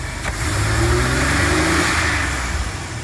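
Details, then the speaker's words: 2000 GMC Safari van, 23 years old, 138,000 km, fresh synthetic oil, just after throttle position sensor replacement, engine cold in closed loop: single blip, revs climb and fall with slight lazy stumble; hesitation, cause undetermined, fuel delivery suspected. "don't like that hesitation though. Can't really go by that until it's fully warmed up."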